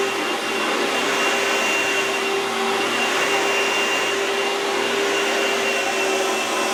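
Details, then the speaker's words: Oreck vacuum bench test after replacing the magnesium fan assembly and refitting the intake tube; steady, even motor roar with constant high pitch, no rubbing or rattling: normal running after repair. "Now to make sure everything's working okay, now you can do a bench test if you will. Turn it on."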